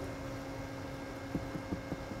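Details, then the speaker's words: Voltage sag demo at about 70% of nominal for five cycles: steady mains hum, then sharp irregular clicks about five a second as an AC ice cube relay chatters; AC relay chatter during voltage sag. "ac ice cube relay is starting to click and starting to chatter so depending on the depth and duration of that voltage sag"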